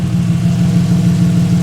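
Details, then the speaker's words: Car after the bell housing, flywheel and starter were refitted, idling with only half the exhaust; loud, steady, deep drone with an even pulse and no knocks or ticks; running cleanly. "So, after a log struggle, we got her starting. Sounds all right as well. Um, besides the half the exhaust, but I'm happy with that."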